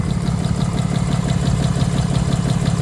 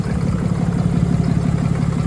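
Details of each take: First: 2022 Ram 3500 diesel hauling about 25,000 lb gooseneck loads, third engine failing with codes P2459 and P242F, at cold-start idle, heard at the intake: louder-than-before pulsing chuff about three per second; compression loss and internal knock suspected. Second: 2022 Ram 3500 diesel, heavy hot-shot towing, third engine, bottom-end knock suspected: muffled steady cold-start idle with even low pulse, no knock; turbo exhaust brake closing for warm-up, normal.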